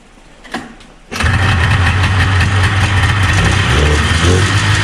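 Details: 1977 Arctic Cat El Tigre 4000 440cc free-air two-stroke snowmobile with Mikuni round-slide carbs, cold shop near freezing; catches and rumbles up roughly and unevenly off the bottom; low-end bog blamed on needle clip position.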